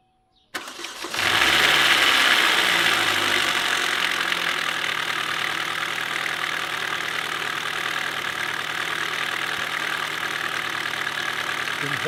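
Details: 2007 Chevy Cobalt SS supercharged starting and idling: fast, fairly regular tapping nearly four per second over a loud hiss. Knock persists after a new v2 cam/timing chain tensioner, possibly a bit quieter; cause not confirmed.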